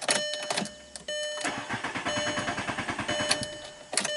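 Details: 2003 VW Jetta with the driver's door open: steady starter cranking at about five or six even compressions a second for over two seconds, never catches; no-start with the door open, yet it starts once the door is closed.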